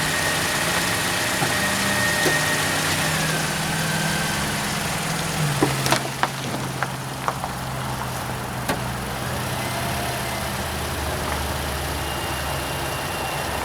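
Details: 2013 Toyota Corolla at 150,000 km during a backyard oil change and service, charging 14.6 V loaded with normal ripple: steady, even four-cylinder idle with a few light handling clicks; no ticks, knocks or misfires; healthy.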